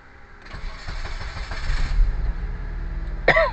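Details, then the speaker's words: Blue Kancil after rewiring to halfcut spec (aircon previously ran on only four wires): starter cranks briefly, then catches into a steady, even idle with no knocks or misses; normal start and idle. "Okay, dah hidup dengan sempurna lah."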